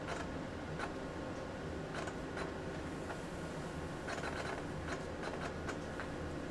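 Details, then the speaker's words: AT&T Unix PC 7300 booting with a real MiniScribe hard drive: quiet steady hum broken by irregular short clicky head-seek bursts; normal clatter for this old loud drive. "quence and you can hear what sounds like a real hard drive because well it is a real hard drive this is not one of the emulated hard drives that I'm using here this is actually a real physical mini scribe the good old loud ones listen to that clunky clunky clunk"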